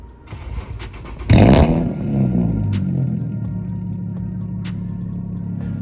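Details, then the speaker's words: Infiniti G37 sedan fitted with test pipes to cure an exhaust leak, warm start since it was run earlier that day: a sharp bark, then a deep, steady, loud idle with no ticking or puffing; normal warm start. "that was kind of like a warm start cuz I was running it earlier today."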